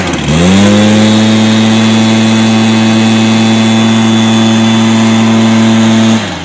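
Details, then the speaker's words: Stihl BR430 backpack blower, repaired after bogging, with its carb high-speed adjustment screw turned out: two-stroke snaps to a clean, steady high-pitched scream at full throttle without bogging or surging, then drops off; starts, runs and revs out well. "so that's a good result it starts and runs well and revs out well"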